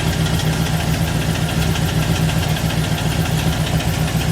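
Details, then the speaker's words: V8 replacement vehicle at idle, heard from underneath: steady fast tapping knock over low rumble; owner guesses bottom end, no fluid leaks; scan shows cylinders two and one misfiring; cause unconfirmed. "But down under here. If I had to guess, it's coming from the bottom end."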